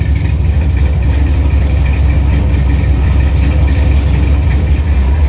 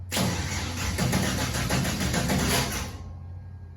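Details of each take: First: LS-swapped 1964 Chevy II Gasser on Holley Terminator X after swapping reversed coil pack harnesses: deep steady V8 idle with the uneven chop of a big cam, idle set at 950 rpm; normal lopey cammed idle. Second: Slow cranking of LS-swapped 1964 Chevy II Gasser with Holley Terminator X, no water pump fitted: loud regular pops about four a second spitting back through the intake, stopping when cranking ends; intake backfire from ignition timing 180 degrees out, coil pack harnesses reversed.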